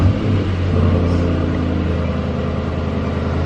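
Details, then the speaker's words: Mercedes E63S AMG (603hp) heard from under the car after an exhaust leak was fixed by pushing the pipe joints together and retightening them: a deep, steady, loud rumble with no hiss or ticking; the exhaust is sealed and normal. "Oh my God, that's loud under here. All right, wait, do it again. Wow, that sounds awesome."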